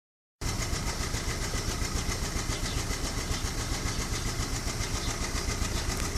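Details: VW Fox Prime 1.6, 11,000 km and six months old, after dealer work blamed on spark plugs: steady idle with quick, fairly even ticking about three or four per second, source unclear.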